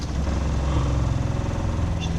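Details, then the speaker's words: RV water pump after repair, running with water flowing from a sink: steady low hum with fine even pulsing, no longer banging as before; fixed. "Good. You don't hear the banging like you heard before, right? Nope. Good. All right, that's fixed."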